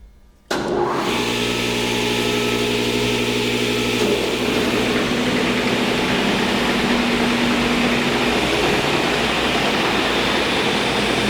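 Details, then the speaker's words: Diehl SL-52 straight line rip saw, 15 hp main motor, 2 hp feed, feed set at 165 ft/min (range 65–195): starts and settles into a steady even hum of constant pitch, no knocks or rubbing; healthy run. "Right now it is set up to run 165 feet per minute."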